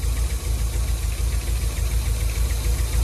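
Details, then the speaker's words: 1991 Nissan 240SX at a lumpy, uneven idle with an irregular thump about three times a second, and the engine shaking on worn mounts. Misfire suspected from an air leak; plugs, wires, cap and rotor to be replaced first. "so what's going on is it's in taking too much air so because it's taking a lot of air that's where the misfires at"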